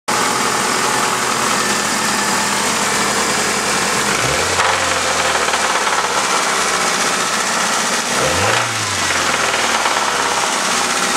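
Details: Ford ZX2 petrol engine idling: fast, steady knock that follows the revs, rod knock.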